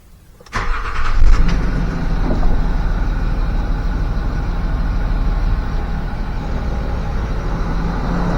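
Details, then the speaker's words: eBay replacement air suspension compressor for Land Rover Discovery 3/4, bench-tested before installation; spins up sharply and settles into a steady even low drone with no knocks or grinding, running fine. "That's kind of like Sounds like it's running."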